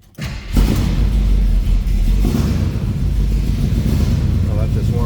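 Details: 1969 Chevrolet El Camino SS tribute V8 with headers, Edelbrock Performer 2.0 intake and dual exhaust, just started: deep, lumpy rumble settling into a steady idle, loud through the headers but even and healthy.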